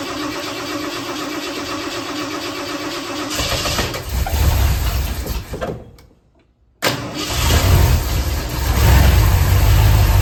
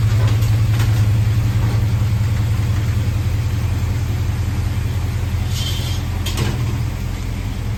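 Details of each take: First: 1976 Ford F100 with freshly built 351C engine, first fire-up after install, radiator filled: cranks and fires into a heavy, lumpy low rumble, cuts out briefly, then restarts rough and lazy; ignition timing is a bit low and needs adjusting. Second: 1976 Ford F100 351C, freshly installed engine on break-in, after a timing adjustment: deep, even V8 lope at idle, steady pulses about two and a half per second, no knocks or ticks; healthy mild cam.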